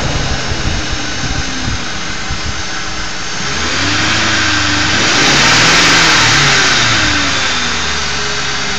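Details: Ford 4.6 V8 idling with a steady buzzing hum that swells and wavers, attributed to a failed anti-drainback valve in a Prime Guard oil filter. A second filter of the same brand made the same noise.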